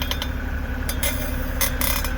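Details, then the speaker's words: BMW in reverse gives short chirps and clinks over driveline hum with vibration felt in the shaft; lubing made no difference; source found to be worn guibo (driveshaft flex disc) toward rear. "all right this is a noise that I kept hearing going in reverse all right so we're not sure if it's this one or the center"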